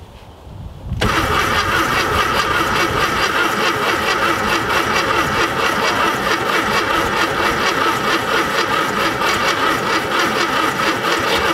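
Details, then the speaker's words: VW Thing Type 181 that sat for 32 years: a long, even starter churn with no firing after a new condenser restored spark. The engine was flooded with too much fuel and the battery is going dead. "all right i flooded it and you know we got a dead battery"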